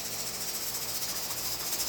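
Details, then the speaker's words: Pressure canner processing carrots, weight jiggling at 10 pounds on a stove turned down to medium-high: steady steam hiss with a soft, slowed rhythmic rattle that has gotten quieter; the canner is holding its correct working pressure. "listen to it it's slowed down and it's gotten quieter and that right there is the the pressure that you want to keep it"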